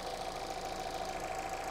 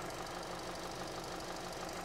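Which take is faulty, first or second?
second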